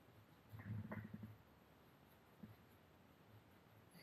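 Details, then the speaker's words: Bike bottom bracket cartridge bearing spun by hand gives a short gritty, clicking rattle instead of a quiet spin; still noisy and not running smoothly even after greasing, though it turns. "Even with greasing, you can hear they're still noisy. Turns though."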